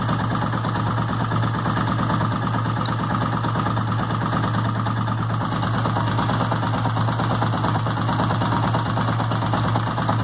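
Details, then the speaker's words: Suzuki motorcycle idle, heard through a screwdriver held to the engine top: uneven light tapping over low rumble; top-end noise, probably a valve or camshaft, not confirmed. "pecífico ó provavelmente esteja uma válvula um comando daqui de cima tá fazendo esse barulho"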